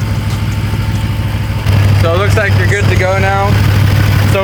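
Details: Car engine idling after a thermostat replacement, with both radiator hoses now warm: a firm, even, low idle rumble under voices and music, steady with no misses or tapping. Runs normally.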